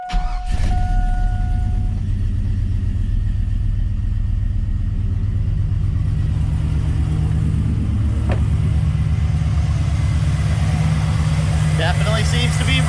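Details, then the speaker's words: V8 truck idling after a misfire on cylinder four was fixed, following a compression test on it: deep, steady, even rumble with no stumble; running smoother, all cylinders firing cleanly. "running smoother [Music] 100 running smoother absolutely"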